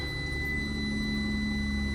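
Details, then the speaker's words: 2014 Ram ProMaster 2500 first start after fuel pump replacement and key-on priming: engine catches and settles into a steady, even idle with low hum and faint whine, no knocks or misses; healthy. "lovely. I love that sound."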